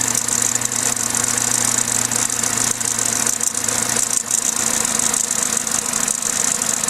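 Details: Vauxhall/Opel A14XER 1.4 L naturally aspirated inline-4 petrol at start-up: a dense, tinny timing chain rattle over the idle. A garage called it normal, but the chain later jumped a tooth and the engine ran rough; the chain is being replaced.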